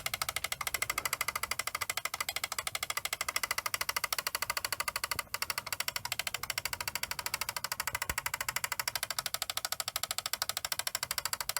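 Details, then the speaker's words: Fisher CR-W35T double cassette deck, belts already replaced by owner; sharp evenly spaced click about twice a second over transport hum as a gear in the mechanism catches and isn't moving properly, before teardown. "It sounds pretty horrible, doesn't it? Just something's just catching."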